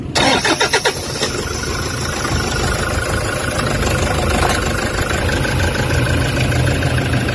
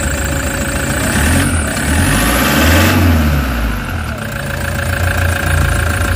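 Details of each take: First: Toyota Hiace common-rail diesel with vibration, low power and check engine codes P0400/P0406 for EGR malfunction, just started: heavy, lumpy idle with a deep, uneven low throb, attributed to the faulty EGR valve. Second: Toyota HiAce common-rail diesel after EGR fault repair (codes P0400/P0406), vibration gone: steady idle with a couple of gentle revs, no rough shaking beat; smooth running after the fix, check engine light still on.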